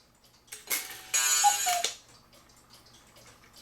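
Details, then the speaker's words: 1940s Black Forest Hubert Herr cuckoo clock after cleaning and oiling: a single gong strike rings boingy and slightly off, the hammer or gong possibly needing more bending; misadjusted gong strike. "That kind of sounded boing, a bit dorky. So let's open this up."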